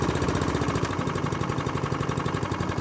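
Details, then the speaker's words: Kawasaki-engined ATCO cylinder mower, warmed up and idling: even, steady single-cylinder putter with no misses or knocks; starts first pull and idles beautifully; normal warm idle. "Once it's warmed up, it starts first time every time. Idles absolutely beautifully."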